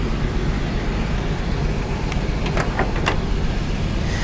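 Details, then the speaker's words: 1985 GMC Sierra 1500 V8, recently revived after sitting: lumpy, uneven idle with a recurring stumble in the exhaust; a dead miss on cylinder number 6, single-cylinder misfire. "You can hear she's misfiring, and I already know she's misfiring on number 6. Put that plate on there. Yeah, she got a dead miss to her, man. A dead miss."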